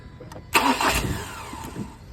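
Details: Ford Ranger/Everest 2.2 diesel: the starter spins the engine with a whirring crank for about a second, but it never catches; cranks, won't start.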